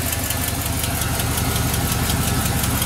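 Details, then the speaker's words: Truck with 6.0 diesel, 183,000 miles, sat for a couple of years, idling on a new battery: steady fast tick about three per second over a heavy idle; owner thinks the AT is frozen and suspects a small exhaust leak underneath. "i'm pretty sure the at um is frozen fully frozen but think a little bit of an exhaust leak down there"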